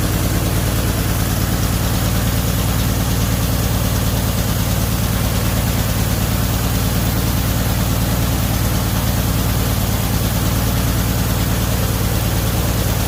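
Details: 1978 Chevy Nova after engine-bay pressure wash: low slow loping idle, slightly uneven, about three pulses a second; idle believed tuned way down, related to a brake booster diaphragm issue.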